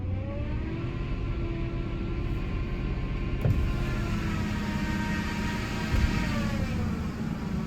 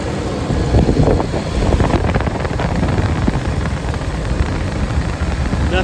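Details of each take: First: 2005 Ford F-150 Lariat 5.4L Triton V8, 215,000 miles, idling then revved: steady whine rising in pitch and louder with revs, worst when very cold, now constant; worn belt tensioner/idler pulley, replaced with serpentine belt. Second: 2005 Ford F-150 Lariat 5.4L Triton idling after replacing serpentine belt, tensioner and idler pulley for an engine whine: steady low rumble, no whine or squeal, partly masked by wind; normal idle.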